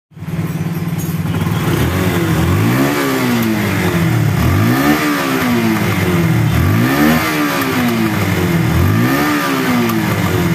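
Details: Yamaha Bison motorcycle with normal idle, blipped repeatedly; popping in the exhaust as the throttle snaps shut, from air leaking into the exhaust, fixed by plugging the hose from the engine and the hose at the intake manifold.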